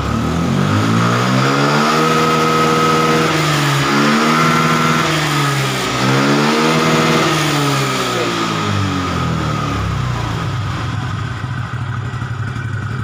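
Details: Fuel-injected motorcycle after ECU and coil failures: engine revs cleanly up and down twice, pitch rising and falling smoothly without stumbling or cutting out, then settles; runs normally.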